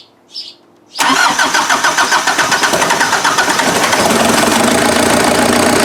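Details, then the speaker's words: Freshly rebuilt Mazda off-road diesel engine after first startup: brief crank, then smooth, even diesel idle with no missing beats, cold-start advance disengaged; owner believes the previous engine's timing was one tooth off. "so i'll i'll fire it up and we can just hear it idle it's so smooth so smooth it's so good"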